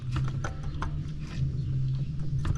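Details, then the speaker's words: Crown Vic idler pulley, hand-spun with belt off: uneven clicks and rough rattle from a worn bearing; also audible while engine runs; power steering pulley suspected as well. "then we got to drop the tensioner The Idler pulley and you hear how that one"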